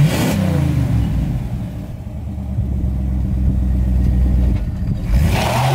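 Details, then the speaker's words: 1977 Chevrolet Caprice 5.7 (350ci) V8 after a 2-year restoration with a welded exhaust meant to cut vibration, driving: deep, throaty rumble pulling smoothly through the revs, no rattle or drone; normal, healthy V8 exhaust note. "Đây là cơ hội để học cách hàn nó thực sự làm giảm rung động phát ra từ ống xả . Nếu tôi bắt bạn nghe âm thanh mới của nó và... làm nhanh lên thì sao?"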